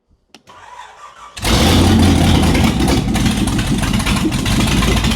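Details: Shelby Cobra with Ford 427 V8 first start back in the car after nearly a decade: loud unmuffled engine catches after a second and runs uneven and lumpy, won't settle to clean idle; carbs not removed from intake, suspected major vacuum leak.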